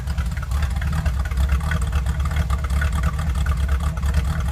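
Low, lumpy idle with uneven pulses about twice a second and no steady beat, on a cold start; rough idle, cause unknown.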